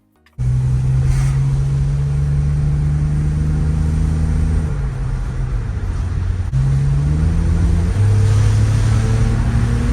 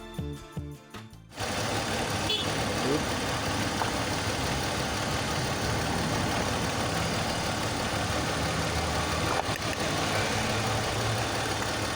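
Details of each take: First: BMW X3 with M54 inline-six on a test drive after fixing a misfire. Smooth rising engine note through two gear changes, pulling evenly with no stumble; misfire fixed. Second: BMW X3 with M54 inline-six, idling with a cylinder 2 misfire; pulling coil 2 had no effect, so it was not firing, and a swap to cylinder 1 is planned to confirm the coil. Idle lopes unevenly, stumbling about three times a second.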